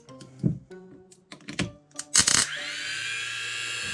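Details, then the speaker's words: 1995–96 Sea-Doo XP 800 two-stroke jet ski starter, found loose and removed, tested on the bench: a few clicks, then a steady high whine as it freewheels without engaging the teeth; starter spins but does not engage. "You can just hear the starter spinning and the engine doesn't catch."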